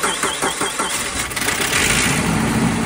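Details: Vehicle with cracked engine block port patched with JB Weld, battery charged for a week: a few quick cranking beats, two or three a second, then catches into a steady idle; starts cleanly but smokes, JB Weld still leaking.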